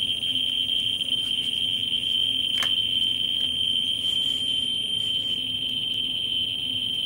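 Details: Ludlum 14C with a Ludlum 44-3 gamma scintillator probe right against a smoke detector's americium source: one steady shrill tone instead of separate clicks, the counts merged as the reading flattens at about 120,000 counts per minute.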